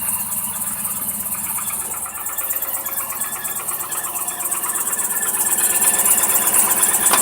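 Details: 1998–99 GMC Yukon, cold start below 40°F (hard starting when cold): light rapid knock about three per second over cold idle, piston slap per mechanic from slightly oval cylinder sleeves; present for years, goes away above 50°F or once warm.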